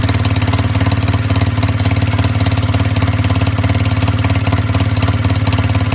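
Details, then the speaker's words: Fuel-injected machine, warm, at idle: loud, harsh rapid puffing, raw like an open pipe joint. Owner suspects an exhaust leak losing back pressure at the pipe, over-fueling and causing backfire. Unconfirmed. "if you're losing back pressure at the pipe there it's going to uh probably trying to dump more fuel in than it needs and uh that's probably why it's doing the backfire"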